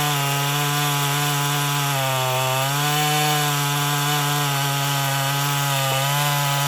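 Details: Husqvarna 450 two-stroke chainsaw after rebuild and Hipa plug: high buzzing howl dipping briefly as the chain bites wood, recovering cleanly; cuts strongly.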